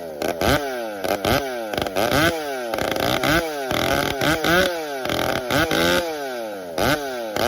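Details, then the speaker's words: Chainsaw being warmed up from cold with repeated throttle blips to keep fuel moving and bring RPM up slowly; revs rise and fall with an uneven, hesitant, stumbly idle between blips, idling but not smoothly. "as you could hear and the beginning it was kind of stumbly didn't want to quite idle I want to say right it would idle but wasn't smooth"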